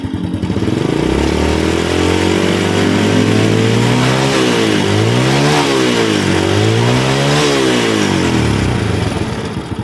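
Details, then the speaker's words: Honda Grand motorcycle after the ignition repair, revved through medium to high rpm: smooth rise and fall with no stutter or misfire, normal revving. "medium to high rotation normally, Bro. There's no stuttering anymore."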